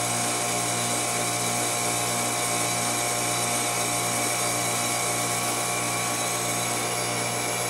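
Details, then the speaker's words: Trane XL400 2.5-ton 14 SEER heat pump with replacement CNT02940 two-speed fan defrost board, forced defrost test: steady compressor hum at a fixed tone, outdoor fan off while the unit runs in cooling; normal defrost cycle with fan off. "there's another reversing valve there's another TXV same components on the last video exactly all right no fan unit goes in the cooling"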